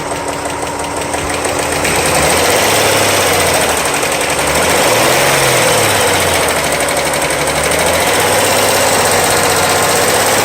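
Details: 2001 VW GTI Mk4 VR6 engine, swapped about a year ago, 120K miles, timing chain done, at raised idle: a steady fast tick, constant with revs. It was a collapsed intake-cam lifter that had worn the cam lobe to a nub.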